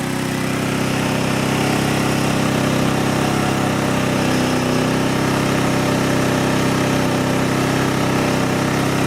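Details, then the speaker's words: Sportsman GEN3500I 3500 W inverter generator, 149 cc OHV gas engine, brand-new first start, full output mode (eco throttle off), breaking in, measured 81 dB right beside it; loud steady drone with faint uneven pulse, no knocks; normal running under full load. "right next to it, 81 decibels. That's to be expected in the full output mode while the unit's breaking in."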